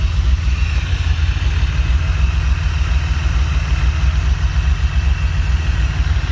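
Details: Honda J35 V6 with BC cams, 12:1 compression, swapped back to normal rockers: heavy, low idle with a steady pulsing lope that never smooths out; rough idle still being worked out, cams only suspected.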